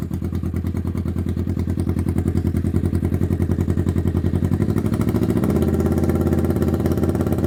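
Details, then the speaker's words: 1991 Kawasaki EN500 Vulcan with a fully rebuilt carb (new jets, idle jet, mix screw, diaphragms) and cleaned petcock and tank: idles nicely, about three thumps a second, then bogs and stumbles on throttle. Owner suspects rich/lean running, an air leak or a blockage. "Um, and if I give it a little bit of throttle, it just starts to bog and stop. Um, and these are usually signs of a rich bog or a lean running condition or maybe an air leak, uh, or a blockage, but I've checked everything."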